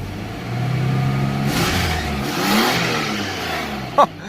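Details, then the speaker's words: 1987 Nissan Pathfinder VG30i V6 after Weber carburetor conversion, free-revved in neutral past 3000 rpm, which it could not reach before while stuck in limp mode: it picks up crisply and falls back cleanly with no stumble or misfire. "I haven't seen that thing go past 3000 forever"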